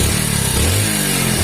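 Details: Hero HF Deluxe single-cylinder bike after repair and decarbonisation for a crank-type engine noise: smooth, steady exhaust beat with two clean rev blips and no knock from below; normal idle and rev.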